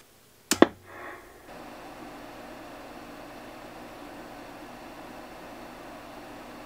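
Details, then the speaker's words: Drake TR7 ham radio after replacing its noisy cooling fan with a new one: after the power-on click, a quiet steady airy hiss averaging about 50–51 dB, without the old fan's high-pitched whine; normal fan running. "so as you saw we were averaging somewhere around 50 or 51 decibels so not quite as quiet as i hoped it would be but this fan doesn't have that high pitched kind of noise to it that the old one did so it's a lot more tolerable from that regard"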